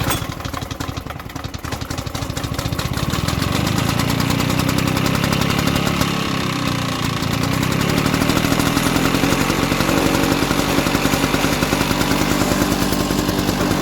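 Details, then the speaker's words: Probably mid-1970s Victa Sunbeam mower, single-cylinder engine running on a carburettor borrowed from another mower: runs fast and fairly steady after a slow rough start, no knock or misfire; a carburettor clean is expected to help. "That was okay. It took a little bit to get it going, but um I dare say a good carburetor clean will fix that."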